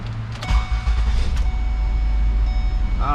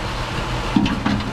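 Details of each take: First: A 300,000-mile petrol truck engine starts after the taped intake boot was replaced and the MAF/intake-temperature sensor plugged back in. It cranks, catches quickly and idles smoothly, with the earlier backfiring gone. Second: 300,000-mile truck engine at rough low idle with mass airflow sensor disconnected: two sharp intake backfire pops because the ECU doesn't know how much fuel to inject; intake boot had been repaired with tape.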